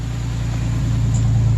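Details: 2008 Chevrolet Express, running briefly with no coolant: low, even rumble settling into idle with a steady firing beat and no ticking; old oil smoking from the exhaust; normal idle.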